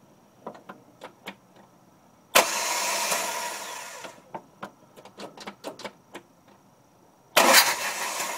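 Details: Jeep Cherokee 2.5L 4-cylinder manual: a few light clicks then two short cranking bursts that never catch in neutral; starts only in first gear, owner suspects starter or neutral relay switch.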